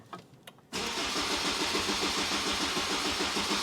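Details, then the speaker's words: Car after ABS pump VIN-matching work: the starter spins the engine in an even churn of about 3.5 beats a second but it never catches. Cranks, no start; the starter is considered undersized, with a poor cable. "It's cranking. Why won't it start though? That was the problem."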